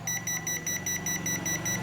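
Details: Panasonic inverter air conditioner whose fan would not run after cleaning and maintenance: quick run of short high-pitched evenly spaced beeps while the code is read; H19 indoor fan motor fault.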